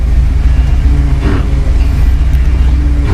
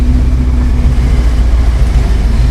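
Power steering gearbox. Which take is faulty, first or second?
first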